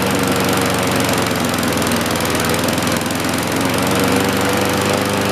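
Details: 1960-70s John Deere push mower saved from scrap, single-cylinder engine just started before an oil change: steady, even rapid beat at constant speed with no stumbling; running healthy.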